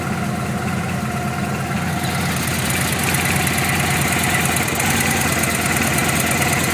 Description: Loud knock on vegas engine